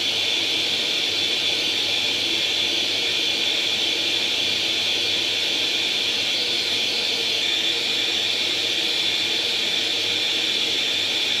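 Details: Atari 800 XL retrocomputer, revived after a 5V-GND short on the mainboard by replacing all RAM chips, loading International Karate from cassette: steady, high, hissy data tone runs evenly without dropouts, a normal clean tape load.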